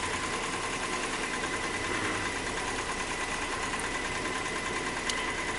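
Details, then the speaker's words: 2002 Nissan Maxima with misfire codes at idle; uneven stumbling beat with a clattery diesel-like tone, smoothing a little near 1,000 rpm; more than one cylinder seems to be misfiring; rough idle. "engine sounds like a diesel all right let's look at some data see if we have a misfire"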